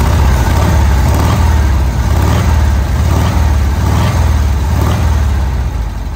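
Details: VW Kombi air-cooled engine after a carburettor jet change, idling while the air mixture is set: low, steady thrum with a soft, slightly loose pulse around four beats a second; normal idle.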